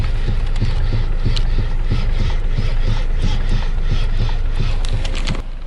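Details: Geely Atlas: dull, fairly quick knocks, about three a second, while the steering wheel is turned with the car standing; steering column knock, owner plans a common fix, else dealer warranty diagnosis.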